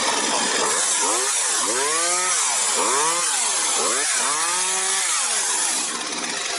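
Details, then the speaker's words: Partner 351 chainsaw, formerly stalling when choke was off, after new bar, sprocket, carburetor-to-cylinder adapter, gaskets, hose and carb adjustment: revs up and falls back cleanly without bogging or dying, running like new. "Відрегулірував карбюратора ще і бензопилочка запрацювала як новенька."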